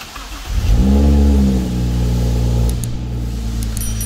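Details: BMW N55 starting after fuel pump module (EKP) replacement, with the check engine light on: the starter catches quickly, revs flare then drop to a steady low idle; normal start.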